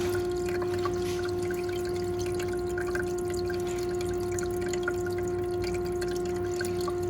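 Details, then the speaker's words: Igloo ICEB26HNAQ countertop ice machine in self-cleaning cycle with a water and bleach solution; steady mid-pitched pump hum with water trickling and dripping, circulating normally. "You can hear it cycling water through the things. There it goes. See water coming out there."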